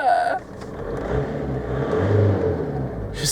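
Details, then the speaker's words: VW Golf Mk4 PD130 diesel after injector loom replacement and EGR valve refit: short rev picks up quickly and drops back cleanly, no stumble or misfire; very responsive, sounds spot-on; normal rev response. "responsive so I think I've satisfied you guys out there saying getting the engine running because he runs they sound amazing sounds spot-on"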